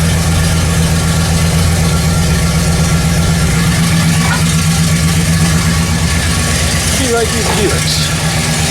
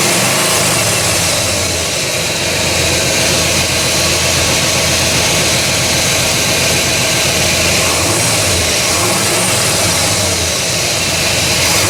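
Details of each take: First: 1969 Buick GS with a freshly refreshed big block (400/430/455), after timing correction; cylinder six shows 10% leak-down: steady, even V8 idle around 800 rpm with a smooth, regular lope and no hunting or misses; it's running right. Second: 1969 Buick GS with a freshly refreshed big block (400/430/455) and an eBay distributor: loud, uneven idle with a hissy, ragged beat and no steady rhythm; the ignition timing was grossly over-advanced.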